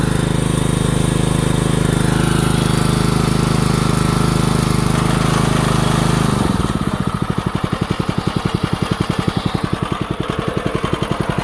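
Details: DeWalt 3200 psi pressure washer, Honda GX200, after carburetor jet cleaning, started outside on choke with water hose attached: fires and runs smooth and steady with an even beat, no misses.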